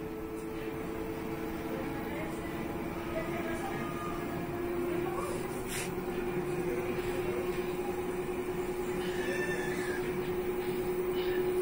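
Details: LG front-load washing machine in spin cycle; steady motor whine holding one pitch, creeping up slightly as drum spins, no knocking or scraping; normal spin cycle.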